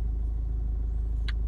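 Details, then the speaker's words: Renault 1.5 dCi diesel that had a starting problem, now repaired after a faulty injector was replaced: low, steady, even idle with no misfire or knock, normal diesel idle. "en fait que là vous entendez le moteur en route c'est normal parce que j'ai trouvé la panne"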